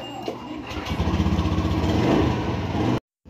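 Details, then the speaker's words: Honda Beat Fi scooter that would not start because of a faulty accessories relay, after fitting a new relay: engine catches quickly and settles into an even, steady putter with no misses; a healthy start and idle. "Ayan so gumagana na umaandar na rin"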